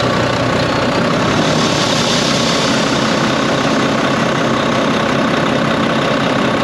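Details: Volvo VNL D13 truck at idle: loud, steady rushing hiss over the diesel idle with no pulsing. Intake air leak at a pipe joint where the O-ring was crimped and not seated.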